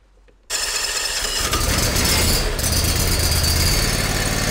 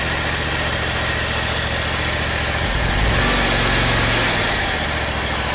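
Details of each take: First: eXmark lawnmower after belt tension released and the suspected PTO clutch bearing checked, dry-bearing noise gone: engine fires up and settles into an even, steady run with no dry squeal or bearing growl; sounds a whole lot better. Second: eXmark lawnmower engine chugging steadily with a dry, raspy whir from a worn belt pulley bearing, found with the drive belt removed; owner first suspected the PTO clutch bearing, but it was fine.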